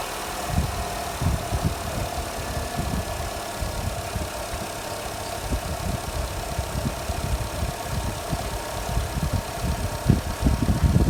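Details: Jeep Renegade/Compass/Toro, just started after a battery cranking-voltage test in the morning (charging reads 14.36 V): steady, low idle with even firing pulses and no knocks or rattles; normal idle.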